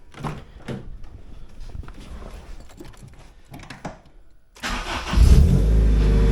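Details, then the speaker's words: Honda EP3 after fuel system work, started after priming and checking for fuel leaks: engine cranks, catches within a second and settles into a steady low idle with no misses; not yet warmed up; normal start and idle. "All right, everything looks pretty good. We're gonna keep an eye on it, let it warm up, and if it still looks good, I'll take it out for a drive."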